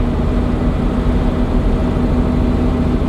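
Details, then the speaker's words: 80 series Land Cruiser with Cummins turbo diesel swap and NV4500, tunnel sealed, driving around neighborhood shifting gears: steady low diesel drone with faint, even, minimal high-pitched turbo whistle on top; normal turbo whistle. "just kind of get that high pitch turbo whistle that I want to hear"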